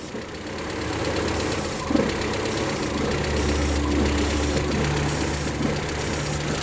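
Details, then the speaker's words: 1.8T Audi A4 started after sitting for months and after its ignition coil wiring harness was replaced: uneven, lumpy, wandering idle with dry lifters. Owner says it is not a misfire but a vacuum leak from a hole under the intake. "so you're gonna hear like lifters and stuff because they're just dry so as it runs it shouldn't smooth out a good bit but no worries it'll be all right let's go see if it starts up it's not a misfire it's a vacuum leak"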